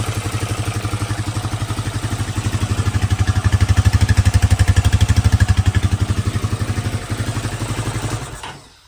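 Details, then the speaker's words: Rancher ATV engine rebuild, after new valve, with cam, timing chain, tensioner and lifters back in, running with drive shafts and coolant hoses disconnected: even, steady putter about four pulses a second, no ticking or clatter, then shuts off cleanly; much quieter. "Drive shafts aren't connected, coolant hoses, nothing like that. But, but that's interesting. Anyway, motor is much quieter"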